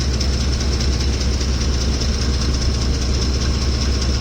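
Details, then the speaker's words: Ford F-150 3V Triton V8, hot at idle: loud, fast, even rattle of about two to three beats a second, audible from inside the truck, only when hot; suspected timing chain loosening with heat, unconfirmed. "Wow, that's really loud. Like you could hear it from inside the truck."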